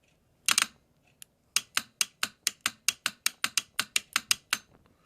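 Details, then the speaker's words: Mercedes E320 throttle body on the bench, clutch coil activated: crisp, even clicks about four a second, each a clean snap; this clutch coil pulls in properly, unlike the dead ones. "hear it, you see it moves. Left corner. So that's a good clutch coil."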